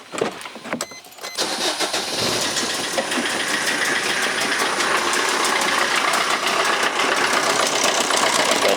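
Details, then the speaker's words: Car's engine idles with a fast, slightly uneven slapping tick about four a second after a noise on a drive back from Ernakulam; a frayed drive belt is hitting, not the timing belt, so the drive belt needs replacing. "Belt ചെതറിപ്പോയിട്ട് അത് അവിടെ വന്നിട്ട് അടിക്കുകയാണ്. അപ്പോൾ നമുക്ക് drive belt ഇതിന് replace ചെയ്യണം കേട്ടോ."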